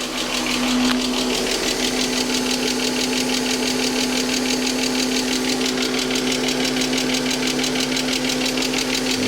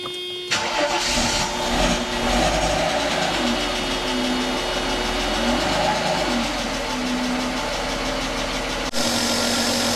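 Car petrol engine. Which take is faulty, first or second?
first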